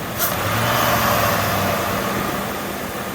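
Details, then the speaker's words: Lincoln Aviator engine after IAC valve cleaning and idle relearn, throttle blipped: revs rise cleanly and fall back evenly with no hesitation; before, a solenoid sound and hesitation at lights. Normal throttle response. "now I can hear all the cold air coming in yeah that's how it should be"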